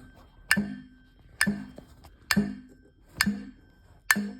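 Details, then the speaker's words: 4040 fire alarm plugged in on power-up gives a sharp click about once a second, five in a row, instead of a horn; unsure whether underpowered, overpowered, or the alarm is dead. "when I plug in the 4040 I'm not sure if I'm under a power overpowering it or or it's just no good or the arms dead"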